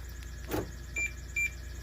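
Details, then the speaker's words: 2009 BMW 335i E90, pre-wired, after eBay alarm kit retrofit and coding: a clunk then two short high chirps confirming lock; without coding this acoustic lock/unlock confirmation doesn't happen. "without coding you won't be able to get the acoustic the sound when you lock and unlock the car"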